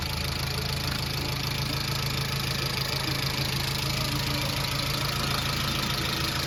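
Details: Chevrolet Aveo engine at idle: steady idle with a light irregular tapping over the engine hum; something is noisy, cause not clear.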